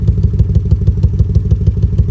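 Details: 2005 BMW 650i 4.8 V8 with a year-long cylinder 5 misfire, worse after about 2 minutes once revs drop: a lumpy, uneven idle with about six heavy thumps a second. Plugs, coils, injectors and VANOS swapped with no fix.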